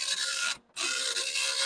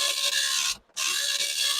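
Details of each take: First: Commodore 1526 serial dot matrix printer self-test after head gap moved forward again; dense even raspy buzz with brief mid-line pause, sounds different from before; printing normally. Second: Commodore 1526 serial dot matrix printer self-test after head was backed off; loud raspy chattering print passes with short gaps, noisier and printing worse; print head gap set too wide.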